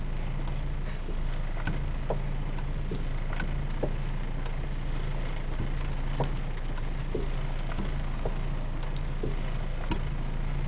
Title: clunking noise front driver side suspension on RSX Type-S